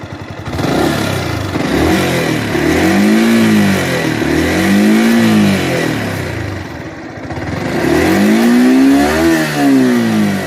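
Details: Yamaha R15 M revved up and down: light metallic clatter riding over the engine note; tappet noise from valve clearance.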